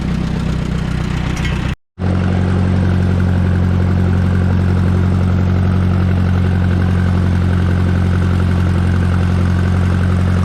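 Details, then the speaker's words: Minneapolis Moline JetStar 3 Super tractor pulling a bush hog while mowing pasture: deep, steady engine drone with an even, unchanging beat under load; no knocks or misses, a healthy old tractor. "yeah, it's a good day to let the jet come out here and work a little bit. So we'll make a few rounds and see hear the old jet beller."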